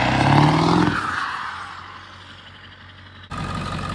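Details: Ford 7.3 Powerstroke diesel after owner's engine swap: revs fall from a brief blip and settle to smooth even idle clatter, no misses or knocks; normal idle.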